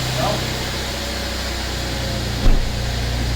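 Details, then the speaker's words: Mercedes E350 M276 engine idling right after new spark plugs and ignition coils were installed; no smoke, runs properly, steady even idle with no stumble; normal idle. "no smoke oh yeah that let me smell it smells a little funny that's okay it's running it's running properly running properly"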